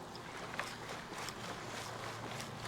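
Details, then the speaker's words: 1975 Kawasaki KE125 two-stroke, seized engine, long stored, possibly underwater: soft watery sloshing as removed empty fuel tank is tipped; unknown non-fuel-smelling liquid residue inside, tank not leaking. "It still has something in it. I'm not sure what that is, but it doesn't smell fuel."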